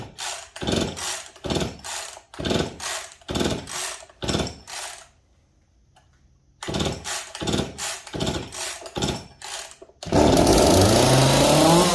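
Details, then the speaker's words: Jonsered 425/490 chainsaw revived, choke off, oiling confirmed: bursts in quick even pulses, pauses, then holds a steady high-pitched run without stumbling. Normal running. "Sounds like it wants to run."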